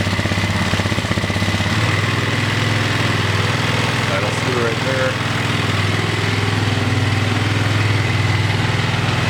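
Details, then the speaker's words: Rebuilt single-cylinder engine holds a steady fast idle of about four beats a second and never settles after idle-screw adjustment; wiggling the throttle cable revs it, as the auxiliary tank rests on the binding cable, which needs replacing. "still idling a little high let me adjust that all I'll show you guys something wiggle the uh throttle cable rubs up that's telling me I got a bat throttle cable"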